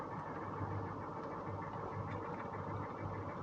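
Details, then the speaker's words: Northstar engine at idle, misfiring hard: a light, regular ticking knock runs through the rough rumble. Possible rod knock suspected, not confirmed. "that almost sounds like a rod knock"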